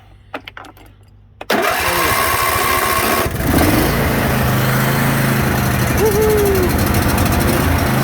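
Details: John Deere D155 mower after starter solenoid replacement: a few quiet clicks, then the engine catches at once and settles into a steady, even run; starter circuit now working properly.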